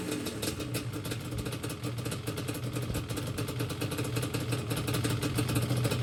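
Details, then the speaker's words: Yamaha Banshee two-stroke after carb clean, rebuild, sync and idle lowered: crisp crackle picking up cleanly as the throttle opens, busy but even beat, carbs sound properly synced; normal revving. "Oh yeah, she sounds great."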